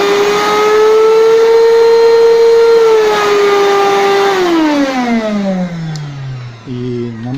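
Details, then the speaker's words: Rowenta 1700W vacuum cleaner brought in for loud humming, running at its minimum setting: a steady high motor whine for about four seconds, then the pitch drops as it slows. Even the lowest speed runs too fast, possibly by factory design. "Единственное, что мне лично не нравится, что у него очень большие маленькие обороты, минимальные. Вообще пылесосы должны обороты быть поменьше."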